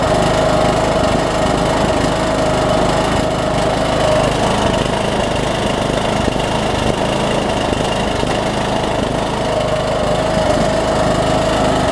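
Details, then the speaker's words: Troy-Bilt Bronco, Briggs & Stratton 18hp Intek single with Chinese Nikki-copy carb, low-side jet drilled out, air filter off, little fuel in tank; runs fairly steady with mild rise and fall, surge eased but not gone. "I'd like a little bit better than it is I sell that yeah as he is but I'm not really a fan of how much it's surgeon"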